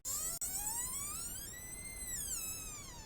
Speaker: so the reason the door is squeaking is because these hinges they have a pin in it and it normally gets dry or is not lubricated really good to begin with